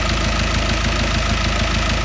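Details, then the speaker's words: Ford Mondeo Mk5 2.0 diesel: even, steady diesel clatter at idle with no rattle or chain slap, briefly revved; engine now running as it should, normal idle. "But that sounds sweet now. In actual fact, I'll give that a quick rev. Yeah, that is now running as it should be."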